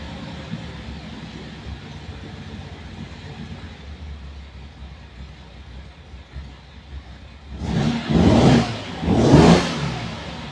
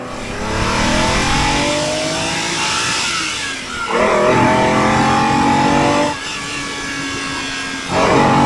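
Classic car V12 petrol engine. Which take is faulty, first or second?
first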